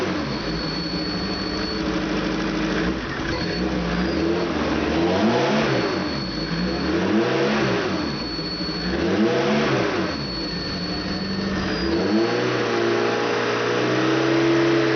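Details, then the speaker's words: Opel 2.4 Motronic fuel-injected engine with a 60 mm Nissan throttle body, after fixing intake manifold vacuum leaks, idling about 1200 then revving: revs rise and fall while a thin high whistle comes and goes; another vacuum leak suspected. "okay I'm still hearing high-pitched whistle which is probably a vacuum leak"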